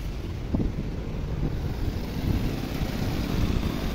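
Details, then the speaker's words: 2011 Nissan Sentra 1.6 petrol engine idling steadily with air conditioning on after repair; formerly shook and misfired with A/C on, now a low even rumble with no misfire. "Now the engine does not misfire anymore. Look, now the engine does not shake anymore."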